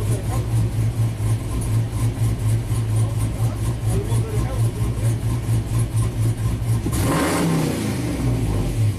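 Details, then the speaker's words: 2000 GMC Sierra 5.3 V8, tuned with cam and exhaust, after crank sensor relearn: steady even idle rising cleanly into smooth revs, no misses; P0336 fixed, cause was rust at the sensor hole pushing the crank sensor out, improper air gap. "amazing this truck is fixed so simple problem but kind of weird you know we did catch it catch the glitch on the scope"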